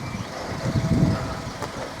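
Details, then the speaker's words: 2006 Toyota Yaris 1.0 VVTI after replacing snapped middle exhaust section: quiet, even idle with one smooth rev settling back; no blowing, ticking or rasp from exhaust, normal, no lambda warning light. "Go, nice and quiet. I don't know why I'm showing you the ground, you can't see a noise. That's just as it should."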